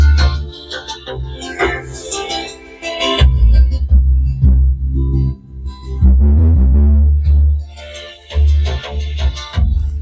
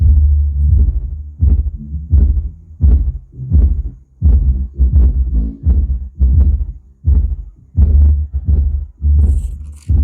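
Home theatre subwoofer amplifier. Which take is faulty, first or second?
second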